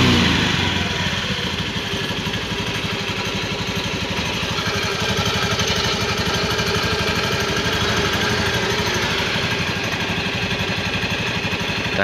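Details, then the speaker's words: Honda Beat FI scooter whose CVT sounded rough like a helicopter, after CVT parts were replaced and the cover refitted: revving smoothly with an even, clean drive note and no flutter or rattle from the belt side; CVT now quiet. "nggak berisik ya Bro Taman go suara aja bersih ya enggak ada nomornya"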